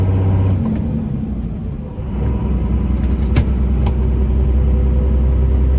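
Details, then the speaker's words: 2001 Dodge Ram 2500 4x4, 5.9 Cummins diesel, 81,000 miles, driving uphill in the 6-speed manual: diesel pulls, drops briefly for a gear change, then picks up cleanly with no grinding or clunk; smooth shifting. "We're gonna head up the hill here and you can hear how smooth the 6-speed shifts. It doesn't grind or hesitate or anything."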